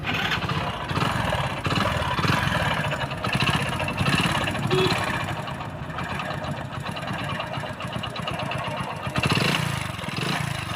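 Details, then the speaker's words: Motorcycle engine with oil level and oil condition fine, no exhaust smoke and good pickup: steady deep knock at crank speed under the idle clatter, typical of a worn connecting rod big-end bearing. "Bike के engine से जो है बहुत सारा आवाज आ रहा है और इसमें मेन प्रॉब्लम जो है दोस्तों इसके साइलेंसर से कोई भी स्मोक नहीं कर रहा है धुआ नहीं आ रहा है"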